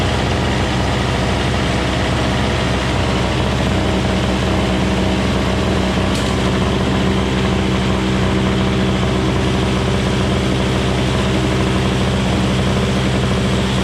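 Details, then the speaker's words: Craftsman 21-inch 5hp single-stage snowblower, Tecumseh two-stroke, after carburetor cleaning: popped loudly on choke, now choke off, steady even buzz with no popping or surging; running normally. "man oh man that thing sounds like a gunshot going off when it was running on a little bit of choke but I took the choke off and then it cleaned up a little bit"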